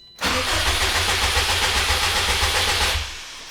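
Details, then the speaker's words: 2004 Subaru STI, sat over 2 years, new battery: cranking with ignition fuse pulled to build oil pressure, clutch in; strong, even cranking about four turns a second, no firing, turns over easier than the old battery with a jump box. "And I gotta say, that new battery is definitely a lot easier to turn over the car than the old battery with the jump box."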